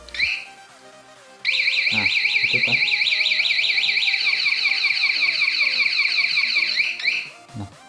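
Loud rising-and-falling electronic siren warbling about two and a half times a second for several seconds: the alarm's anti-snatch mode has triggered.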